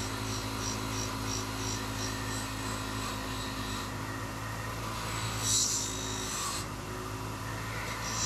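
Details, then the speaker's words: Grinder used while cleaning parts during a Ford 400 engine rebuild; steady motor hum with gritty rasp and slight sag when work is pressed on; sounds strained and short of power, cause not confirmed. "it always sounds like I'm pushing hard this thing has no power"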